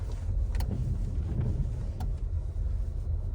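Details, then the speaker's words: Renault Laguna 2 with a 1.8 petrol engine and five-speed gearbox, while driving. Two sharp clicks about one and a half seconds apart over road rumble, sounding each time the wipers sweep in automatic mode. "Зараз я на секундочку помовчу і ви почуєте чого і це кожен раз привиканню двірничків автоматичному режимі воно так щолк робить"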